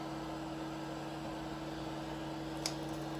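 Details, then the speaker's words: Tronxy XY2 Pro 3D printer after homing all axes: constant fairly high-pitched fan drone with no variation in a quiet room; a printer fan is a little noisy. "Yeah, the fan over here is a little bit noisy."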